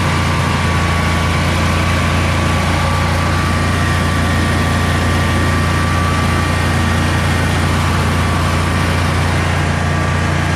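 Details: Generac Guardian 16kW standby generator, refurbished after battery exploded, first test run on 3,000 W heater load with shroud off (brief run, could overheat): steady even low drone, faint constant whine, no misses, knocks or surging; runs and puts out power normally.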